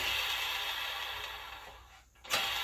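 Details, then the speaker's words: Samsung mid/low-end freestanding dryer: a steady, hissy, high-pitched metal-on-metal scrape from a non-self-lubricating drum support roller (DC97-16782A). Lint on the shaft seized the roller and wore a flat spot; the fix is replacing both roller and shaft. "when the lint gets onto the shaft and you have a high rpm it causes the roller to seize up due to lint and then when the drum begins to turn it'll cause a flat spot and then that would induce the vibration and noise"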